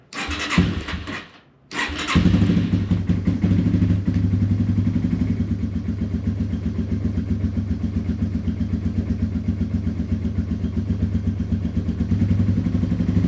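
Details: Yamaha TW200 single that sat a long time after being stolen, after a new battery and a gas-leak fix, started on choke: brief crank, then catches and settles into a steady, even thump; healthy start and idle.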